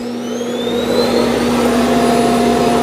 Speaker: Start collecting dust. Okay, here's the auto empty in the Eufy X10 Pro Omni.